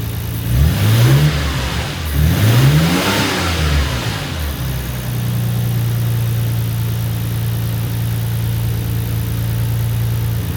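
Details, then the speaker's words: Nissan Skyline R33 GTR after replacing an apparently original fuel filter: two clean revs rising and falling smoothly, then a steady, even idle with no misfire or stumble; engine runs healthy. "Alright, so obviously car fired up. The first fire I think I didn't record, so it did turn over for a little while before it finally caught, but then I recorded another start shortly thereafter."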